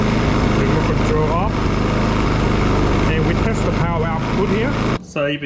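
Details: Petrol inverter generator started after service, reading 231 volts: engine holds a steady, even beat with no hunting or stumbling; running normally.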